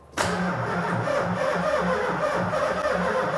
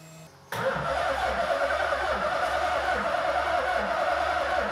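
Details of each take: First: Supercharged VH45 V8 in an S13, first start attempt: starter drags the engine over in a slow, labored, even beat without firing; battery voltage too low, jump pack to be added to build oil pressure. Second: Nissan S13 Silvia with a supercharged VH45 V8 swap, first start with the fuel pump relay bridged and a jump pack: it fires and runs on its own at a low, slightly uneven, very quiet idle with a couple of revs, not yet running happily.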